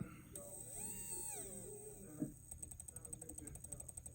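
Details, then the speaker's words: Furitek Komodo brushless motor in an RC crawler at low throttle, right at crawling speed: a rising whir, then quick uneven clicking and ratcheting; the motor cogs roughly and the owner suspects a bad motor. "but that speed right there that it makes this sound is like perfect crawling speed so i'm a little pissed"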